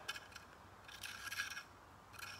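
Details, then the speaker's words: Stihl MS362 chainsaw, 20-inch guide bar after cutting into stumps (bar shows heat bluing): gritty, raspy scraping in short bursts as the bar's front roller tip nose sprocket is turned, its bearings gone. "the bearings in this front roller tip are gone so add that to the mix of junk here"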